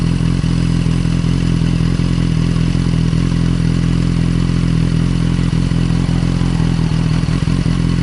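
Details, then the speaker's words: Motorcycle engine running: steady low beat that occasionally skips a firing pulse, a small stutter; intermittent misfire persists despite new spark plugs and changed coil packs, cause not found. "it's just every once in a while it just does a little blip but you're just like misses a beat so got a Tony little stutter"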